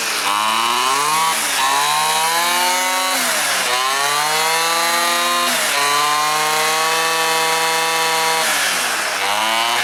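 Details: Stihl FS 400 professional brushcutter that would not start: spark present, plug dry, fuel not reaching the chamber, blamed on the petrol. After the fix it revs cleanly from idle to full and back, smooth and even: normal running.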